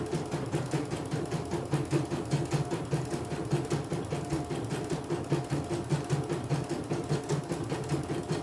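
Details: CNY E900 embroidery machine after touchscreen repair and cleaning, test embroidery: steady even stitching patter around a hundred beats a minute, no knocks or grinding; good result, running smoothly.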